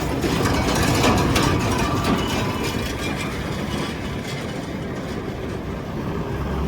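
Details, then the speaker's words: Gleaner combine at auction preview, separator engaged: steady mechanical churn with a faint cyclic wobble about four times a second; a little noisy but all turning as it should, motor pretty quiet; normal separator running. "Little weeble wobbly there on that boy. But, it's all turning like it's supposed to. Motor's pretty quiet."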